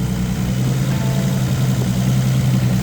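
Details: Nissan Skyline GT-R at steady low idle with an even rumble and no squeal or chirp, after the alternator belt, hoped to be the squealing one, failed and was cut off; power steering fluid leak still being chased. Engine sounds healthy.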